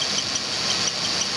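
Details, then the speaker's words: 2002 Ford Taurus at idle with cylinder 1 misfire (weak ignition coil): quick high-pitched chirp following engine speed from the worn cam sensor synchronizer shaft. "you can hear the little cam sensor chirp on this engine too"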